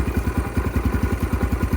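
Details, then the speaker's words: 2022 X-Pro Templar 250cc (DB-K012, 5-speed) single after installing a Nibbi PE30mm carburetor, started without choke: quick popping idle with slight surging, sitting higher than the 900–1,000 rpm target and bouncing between about 1,000 and 1,500 rpm; high unstable idle. "wow maybe a little it's a little higher than I left it so yeah it looks like it's bouncing back and forth between I don't know if that's I mean it goes from one what is it between one and 1500"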